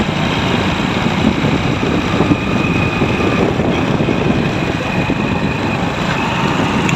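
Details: Hero Splendor Pro after primary drive gear replacement: small single idles evenly with a light steady patter, no gear whine or clatter; normal idle.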